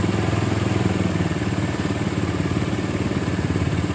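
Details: 2008 Minerva R150 SE 150cc single after charging repair, with the burnt socket fixed, 14–14.17 V charging normal (earlier: slow pull, a bit hot). Steady, even thumping idle with no misses or clatter: normal idle.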